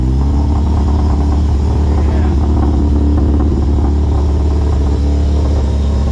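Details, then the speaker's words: Honda Civic just started after a Hondata coil-on-plug retrofit, warming up and burning a lot of fuel: steady, even low drone with no misses or stumbles, holding a smooth idle; runs properly. "and there it is man the car sounds great I love how it sounds"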